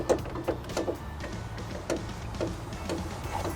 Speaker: It sounds loose. Maybe that's the jangle. No, I mean, maybe, but I think it's more than just the door though.